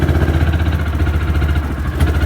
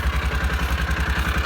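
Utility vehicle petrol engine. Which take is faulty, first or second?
first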